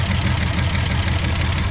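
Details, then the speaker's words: Car on a start attempt after gas was added and the fuel pump pumped. Loud, lumpy, uneven stumbling idle. Rough running engine, cause not confirmed. "Listen to that thing terrible."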